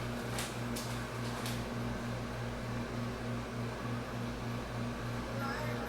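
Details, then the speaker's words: Mid-range car speaker playing music with rough, buzzy, pulsing low end that sounds blown; actually the cone has come disconnected, not blown, and can be repaired with glue. "So yeah, it's like it's blown. Now most people will determine that as a blown speaker."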